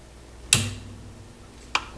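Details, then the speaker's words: Sansui AU-101 amplifier with weak left channel, switch click then a low steady hum when an open 47 filter capacitor is disconnected, gone when reconnected: mains hum from open filter capacitor. "see the noise is gone as soon as I reconnect that capacitor onto that eh so I am going to take this capacitor out there it's out there's the noise again hear it"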